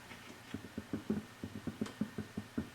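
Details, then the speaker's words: Vintage Fender Reverb tube guitar amp: quick run of dull low thumps through the speaker as the phase inverter tube is tapped, a microphonic tube; noise was from several microphonic tubes and bad solder joints. "got a thump thump. That's one of the output tubes. So we got a little bit of microphonics going."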